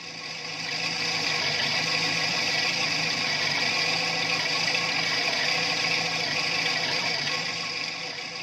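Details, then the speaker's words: Petrol engine idling with a busy, tinny metallic rattle over the steady running note: characteristic sound of a worn timing chain. "that's a warm timing chain now listen to it again and try to pick out that characteristic rattle"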